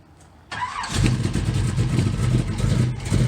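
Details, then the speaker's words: 1969 Camaro Pro Street V8 with a solid roller camshaft and electric fuel pump, cold start: short crank, fires immediately into a loud, choppy idle with an even lope; runs very well. "car runs fires immediately runs very very well obviously got a good camshaft as mentioned a solid roller"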